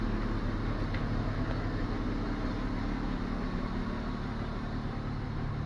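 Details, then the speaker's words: BMW E34 after cleaning and refitting the fuel pump that had hummed loudly and caused power loss: steady low rumble with no whining hum on top, pump now silent; normal fuel pump operation. "Тишина абсолютная. Ты слышишь? Что там делать? Все работает нормально вроде."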